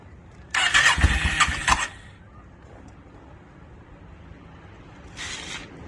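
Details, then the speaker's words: 2002 Yamaha V-Star 650, newly bought, possibly needing a full tune-up, on choke, rusty gas tank; about a second of rapid cranking, then a second short crank, never catches. Hard starting, owner suspects flooding. "I was just real anxious to hear it start, which I did get it running for a second, which you guys will see, but I'm pretty sure I flooded it out."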